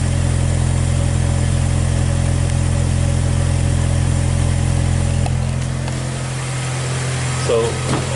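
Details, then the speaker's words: 2014 Hyundai Tucson 2.0L petrol heard at the muffler, idling then revved: stumbling, breaking-up exhaust beat after a basic service, with hesitation under acceleration and no misfire codes. "so it definitely sound like it's like it's breaking up you're not getting a free flow you dig"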